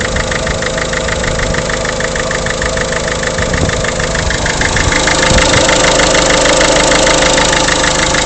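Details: Peugeot 307 1.6 HDi diesel at idle with a sharp, regular knock about three times a second that stays even throughout; a clear engine knock whose cause isn't pinned down.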